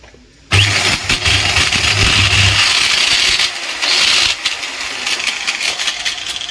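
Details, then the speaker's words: Angle grinder running with a harsh, loud, high-pitched whir with a gritty, wavering edge; loud running noise, suspected failed upper armature bearing. "तो ये देखिए friends ये हमारी कितनी तगड़ा आवाज कर रहा है जैसे कि आपने इसमें सुनही लिया हो कितना तगड़ा आवाज का"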